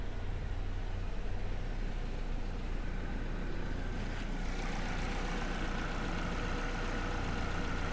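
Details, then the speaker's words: Copart auction car, apparently only out of fuel, after refueling and driving: low, even rumble at steady RPM with no stumbles, hunting or knocks; idling healthily. "oh what is that sound oh wait a minute she's actually sounding really good get out look at this steady rpms"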